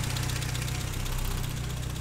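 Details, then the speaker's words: 1959 Triumph TR3A during pre-purchase inspection: steady, even low-pitched idle with regular exhaust beat, no misses or deep metallic knocks; idling really nice, normal idle. "right so far the the idols of huiling really nice"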